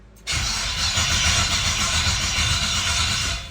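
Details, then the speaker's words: 1967 Camaro after LS engine swap, no fuel supplied so it won't start, cranked by the key with the computer powering on: steady, even cranking at about four compression pulses a second, no catch; normal healthy starter cranking. "Well, there you have it. It cranks. The computer is being turned on with the key as well."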